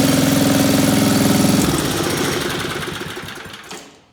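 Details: Old Briggs & Stratton powered generator after carburetor and points repair, having sat a few years: steady, even single-cylinder putter at constant speed, then smooth wind-down at shutoff; runs cleanly, though pull-start one-way bearing screeches.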